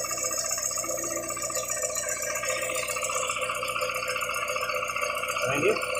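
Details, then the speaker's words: VW Gol with CHT engine, valves adjusted without change: fast, uneven metallic ticking rattle from low down at the clutch shaft support, hitting harder when revved; not the valvetrain. "então galera como vocês podem acompanhar aí não seria né as válvulas e sim aquele suporte lá da da embreagem"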